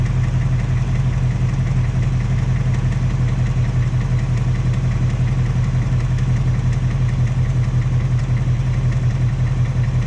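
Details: 2018 Ford Mustang GT Coyote V8 at idle, second replacement engine with only 1,200 miles: steady idle with a faint regular light tapping/knocking tick, source uncertain; car back at dealer, third short block coming.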